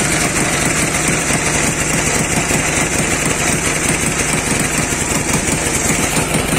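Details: Dnepr 10-36 motorcycle engine running after worn connecting-rod bearing shells and the rod were replaced: even, steady chug with no knock at constant speed; runs cleanly and smoothly.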